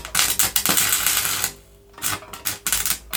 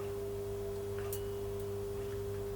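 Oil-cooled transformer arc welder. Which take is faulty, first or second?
first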